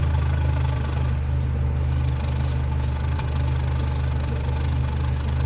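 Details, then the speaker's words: Nissan Platina after misfire repair, heard at the tailpipe: an even, steady low thrum with no skipped pulses. The previously shaky, backfiring engine now runs evenly, with a normal idle and all cylinders firing. "prácticamente está parejo amigas y amigos nuestro carro se escucha parejo se escucha bien"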